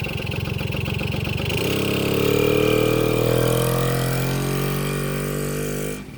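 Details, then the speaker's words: 1972 Kawasaki MT1 single kick-started on choke: putters a few seconds, picks up revs, settles into even steady idle; running well. "Alright, not bad for a runner."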